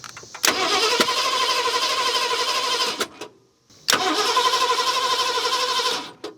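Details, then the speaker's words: 1970 Ford Mustang V8, abandoned for years: two long cranking spells with fast, even starter churn and no firing at all; crank no start, owner suspects wrong firing order or timing 180 degrees off. "now it's not doing anything I mean we could have it 180 off but usually when that happens you know it starts shooting through the back like carburetor"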